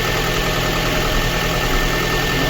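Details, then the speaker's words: A Lada Kalina 1.6 with a used swapped-in petrol engine idles cold with a lumpy misfire. Coolant was boiling and the antifreeze was gone, and diagnostics point to cylinder 2 with low compression, possibly the head gasket. "Як бачите і антифризу немає погано гріє пічка і двигун троїть"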